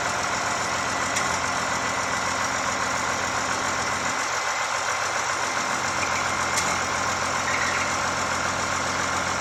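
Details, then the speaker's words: 1986 Ford F350 with 5.9 L 12-valve Cummins swap, idling after injectors bled and a fuel filter fitting tightened, clutch not yet disengageable: loose, uneven clatter about twice a second from the bellhousing; throwout bearing needs replacing. "all right so it's alive everything runs uh we do have a noise what coming out of the transmission"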